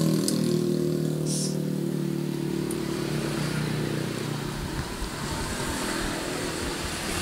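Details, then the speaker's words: Scrapyard Suzuki Smash small single after tightening cam chain, makeshift exhaust and fresh oil: steady, even putter with no chain rattle or ticking; healthy running. "cek sound setelah tadi kita kencengin untuk ketengnya kemudian kita juga kasih untuk kenalpotnya alakadarnya"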